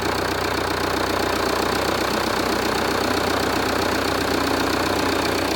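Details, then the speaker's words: Jeep Renegade 2.0 MultiJet diesel after repair of a deep droning engine noise: even idle with steady light clatter, about four beats a second, droning gone; sounds normal. "o que acontece antes fazia um barulho muito de ronco um barulho grave né e agora tá normal tá o barulho normal do funcionamento do motor tá tudo ok"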